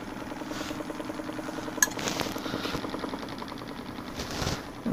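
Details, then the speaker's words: Lathe remounting a dried, warped green-wood bowl in big chuck jaws, flattening its bottom with a 1/2-inch Carter and Son bowl gouge: rapid even chatter as the gouge catches high spots each turn at steady speed; interrupted cut on a warped bowl. "first we're gonna get this bottom flattened out now we don't need to make it perfect and make sure that i'm staying snug on my big jaws here there we go okay yep just making a little noise"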